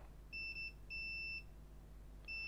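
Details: MacBook Air A1932 with no power, logic board with no visible oxidation, checked with a multimeter in continuity mode: three clean high beeps, short-long-short, over a quiet hum, indicating a short circuit on the board.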